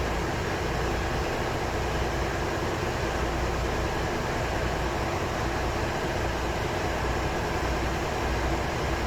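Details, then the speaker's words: Ship MV Steve Irwin marine diesel, dormant for years, heard in engine room as rpm is raised from engine control room via governor control air: deep, steady rumble, even rhythm, no knocks or grinding; healthy. "now I can control the engine RPM from this control in the ECR have a listen if see if you can hear the RPM increasing you can also see it on the gauges there"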